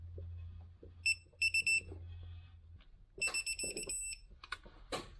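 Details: Torque wrench on 2011 Mercedes E550 W212 V8, tightening new starter mounting bolts to 40 Nm: short series of high, clean electronic beeps as set torque is reached, the normal target-reached signal.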